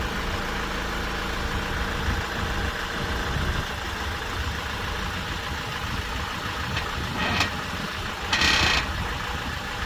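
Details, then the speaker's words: Honda Accord CU3 with the engine idling, steering turned at a standstill, recorded next to a wall. Two short dry creaks come from the front suspension. The owner believes a lower ball joint is the cause; the lower strut bushes are not yet replaced. "I will turn the steering wheel now and you'll hear the creaking sound that I'm talking"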